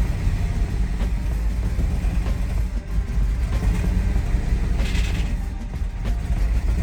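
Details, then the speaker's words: 2007 Mercedes GL450 with a random misfire, low power and oily spark plugs (a shop claimed it needs a new engine). Just after starting it gives a deep, uneven, searching rough idle; check engine light on. "Okay, it started. Still a bad idle. It's searching."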